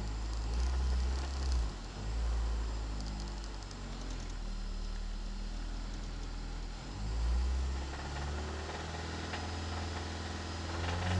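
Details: Petrol "poor man's Type R" idles, then revs hard with a deep knock under the rising note after throwing a rod bearing.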